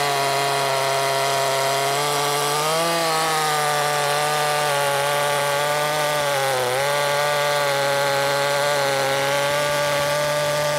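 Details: Makita 5600 (Dolmar-built) chainsaw with freshly sharpened chain (rakers possibly filed too low): high steady howl sagging briefly twice as the chain bites, recovering quickly; cutting much nicer than the dull chain.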